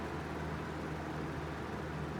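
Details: Small Fasco fan motor after rewiring and reassembly: smooth even hum, steady low drone, no ticking, rubbing or rattle; normal running.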